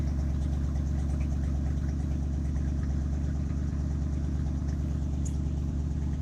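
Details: 1967 Ford F-350 flatbed truck, 302 V8, just started after sitting a couple of months: low, steady, even rumble with no knocks, ticks or stumbles; normal idle.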